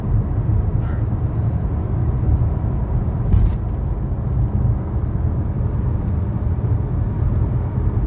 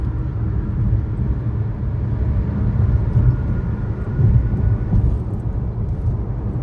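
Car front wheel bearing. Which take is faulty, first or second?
second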